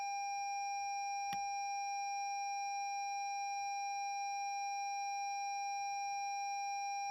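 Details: 2017 Lexus NX 200t after jump cables were connected reversed, new battery fitted, starter won't turn: steady high electronic warning tone, no engine running; dashboard warning after reversed jump leads.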